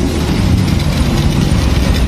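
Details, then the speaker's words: Honda Supra X 125 carburetted motorcycle after engine rebuild and carburettor replacement idles with a steady, even low thrum, no knocks or misses; engine smooth. "Ini mesinnya udah lembut. Coba ya masuk. Nah ya, tuh ya, udah lembut, mesinnya udah lembut banget nih."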